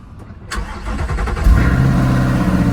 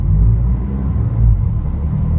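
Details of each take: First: Natural gas (CNG) powered Honda Civic, ex-AT&T: short crank, then it catches cleanly and settles straight into a steady, even idle; a normal, healthy start. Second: 2019 Honda Civic natural gas (CNG), 149,000 miles: deep, loud, booming exhaust rumble louder than stock; loud exhaust, owner suspects catalytic converter missing or flex pipe come off, not confirmed.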